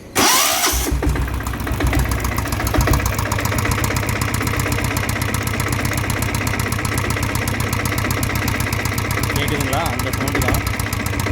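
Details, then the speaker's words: Greaves Cotton diesel Bullet motorcycle: quiet at start, but after riding a while a light, quick tick runs steadily over the idle thump, from loose tappets needing adjustment under the top cover. "ஆனா கொஞ்ச தூரம் ஓடுனதுக்கு அப்புறம் ரொம்ப டிக்கி டிக்கு டிக்கு டிக்குன்னு ஒரு sound வருது."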